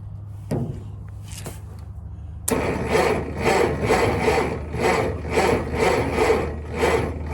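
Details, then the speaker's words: Massey-Harris/Ferguson 35 combine, first start attempt after filing points: slow, even cranking pulses about two a second, never fires. Seems to have good even compression; owner plans to pull the plugs next. "Well, no go. I'm gonna quit for today. I'll be pulling the plugs next probably. You can hear it seems to have good even compression."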